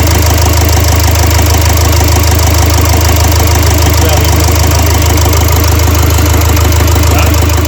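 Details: Renault Trafic 2 / Opel Vivaro van, M9R780 2.0 diesel with piezo injectors 0445 115 007, idling to warm up with cylinder 2 injector clamp removed for extraction: heavy, loud idle with a steady knock about three beats a second. Fault codes show a cylinder 2 injector circuit short and misfire.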